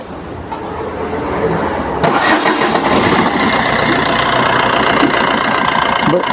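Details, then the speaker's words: Maruti Suzuki Swift diesel after replacing the two carbon-fouled copper injector washers on cylinder 1, which had a compression leak: starts after about two seconds of cranking, then settles into an even clatter, with the earlier missing and leak gone. "വണ്ടി start ചെയ്തിട്ടുണ്ട് കേട്ടോ അപ്പൊ ഇൻജക്ടറിന്റെ ആദ്യം നേരത്തെ ഉണ്ടായിരുന്ന missing missing means ആ compression leak ഒക്കെ പോയിട്ടുണ്ട്"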